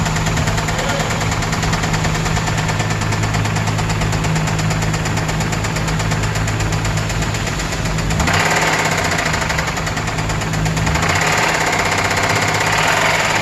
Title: THIS IS WHAT ROD KNOCK SOUNDS LIKE